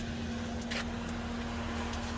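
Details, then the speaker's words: Car engine just after replacing a bad ignition coil that caused a cylinder misfire: steady, even idle with a smooth low hum, no stumble or skipped beats; runs clean, sounding much better than before. "okay oh that sounds so much better that sounds way better"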